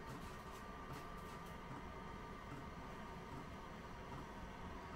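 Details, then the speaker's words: Webasto diesel heater in a Sherp ATV on cold start, burning the vehicle's diesel: steady quiet fan hum with a thin whistle and soft regular fuel pump clicks after the heating element preheats; lit and running normally. "if you can hear that clicking that's the fuel pump calling for fuel so very soon it should be burned some of that fuel fan is now going"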